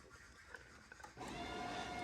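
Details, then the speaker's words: 2003 Mustang Cobra with a new supercharger intercooler pump, replaced after no coolant flowed in the reservoir, jumped to test: quiet at first, then it switches on with a steady, even hum and faint whine; the pump runs normally. "All right, let's jump this pump and see if it turns on."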